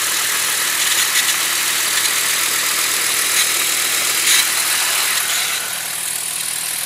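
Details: Engine running at 34°F: harsh high-pitched hiss and a fast rattle of about four per second over the idle; source unclear.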